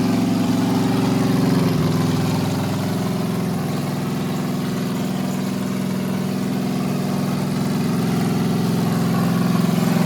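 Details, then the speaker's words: 350 small-block Chevy built 25 years ago and never started until now; it turned over once and fired up; strong, steady V8 lope at about 214 beats a minute with no knocks or misses, idling healthy. "thing turned over one time, fired up."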